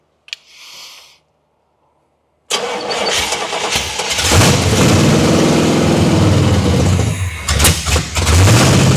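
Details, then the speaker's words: 1979 Pontiac Trans Am V8, now running after crossed plug wires were fixed and the distributor was corrected from 180° out: it cranks, catches and settles into a steady, lumpy beat with throttle blips. Timing still needs setting with a light. "Yeah, I definitely need to get the light on it, but it's a runner. So, we had cross plug wires and distributor 180 out on the ignition."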